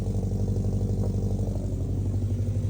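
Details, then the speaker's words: Subaru Impreza WRX converted to STi, first start after full rebuild and three years off the road: loud, deep, steady burbling idle with even low pulse, no knocking or misfire; normal running. "she sounds incredible she's running I can't believe it she's absolutely running she's loud"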